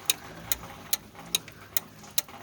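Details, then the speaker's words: Hot tub with the pump disconnected: sharp, even relay clicks about twice a second as the relay keeps cycling on and off by itself, so the pump isn't the fault; the faulty topside control panel turned out to be the cause. "disconnected the pump does he can hear the relay still clicking on off so it's not the pump that's an issue"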